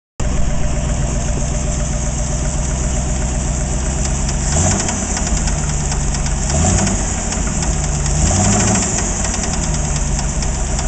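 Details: AMC 360 V8 idling with a fast, steady metallic rattle-knock over the rumble, sharper on small blips; knocking began after overheating, oil old but no metal shavings found.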